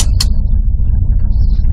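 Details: 1986 Dodge Ram Custom 150 six-cylinder with 78,500 miles, which once pulled a horse trailer. A low, steady, even rumble with no knocks, misses or rhythm changes; a smooth, healthy idle.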